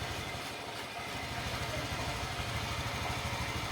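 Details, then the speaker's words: Honda Vario 150 scooter idling steady and even with no misses after the electric starter works normally again. The starter failure (only clicking) was caused by battery voltage below 12 V; the battery read 11.7 V. "oke nyala double stater kembali normal karena sebelumnya tegangan aki kurang dari 12 volt"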